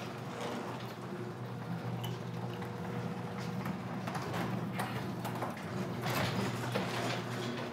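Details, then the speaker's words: Garage door opener tested during a home inspection of a tri-level house in Colorado Springs: steady low motor drone with chain rattle and light clatter as the door opens, no strain; working normally. "so now i'm testing the garage door i want to see that it opens without too much effort it's not straining the device here"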